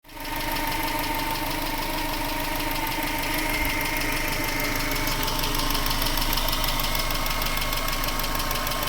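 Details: 1996 Subaru Legacy Outback 2.2L EJ22E, 165k miles, well maintained; quick steady top-end ticking over the flat-four idle, equal on both sides, present cold or hot, speeds up with revving; appeared around last oil change with a different filter, oil level fine; owner suspects loud injectors or valves.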